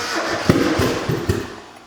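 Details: Freshly rebuilt high-compression turbo Mazda Miata four-cylinder, first crank after the head work: uneven, lumpy chuffs that never settle into a steady beat, then fade; it sounds short of compression on some cylinders.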